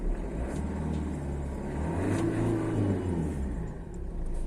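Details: Ford Figo revving after repair of a wiring short circuit that caused a no-start, no-ignition fault: engine picks up smoothly on the throttle and settles back evenly, no misses or knocks; running healthy.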